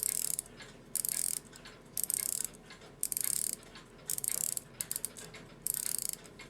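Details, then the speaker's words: Post-WWII German Europa 7-jewel alarm clock (c. 1945–1960), alarm won't wind: rapid bursts of light ratchet clicking about once a second with no tightening; the alarm mainspring end isn't catching and slips freely in the barrel. "Yeah, now it's just freely turning past it. It's not trying to catch it all."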